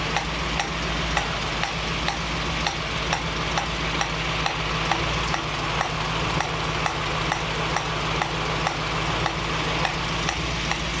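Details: 1965 Mustang GT convertible after Tuff Stuff 7068K 140 A alternator install: steady airy hiss over smooth idle with faint regular tick, a new sound seemingly from the carburetor; cause unknown.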